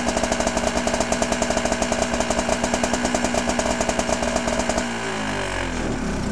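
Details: 1983 Honda Odyssey FL250 two-stroke, freshly rebuilt with new piston and still breaking in, FMF exhaust, parking brake on: crisp, evenly spaced popping at a steady fast idle before switch-off; sounds healthy.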